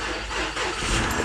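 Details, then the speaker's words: Engine with new serpentine belt starts after a crank-no-start repair, catches quickly and settles into an even run without knocks or stumbles; check engine light on from unplugged parts, MAP vacuum below the 17–18 inches wanted. "there we go it's running now let's see I don't want to run alone"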